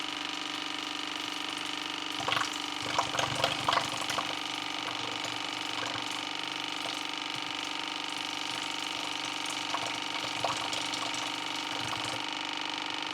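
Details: 2015 AEG Favorit (Electrolux) dishwasher that showed error i30 from water on the base plate, after cleaning: steady drain pump hum with gurgling and splashes as the sump fully empties, no beeping; the drain pump works normally.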